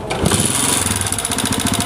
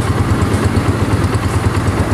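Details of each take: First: Honda CG125 motorcycle, single-cylinder, before repair: starts and clatters loudly at idle with busy rattling chatter from the engine, not the cylinder or silencer. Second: Honda CG125 motorcycle after repair, exhaust/silencer sound: steady, even single-cylinder idle with low regular beat, no knocking or tapping; earlier engine noises almost entirely gone; normal idle.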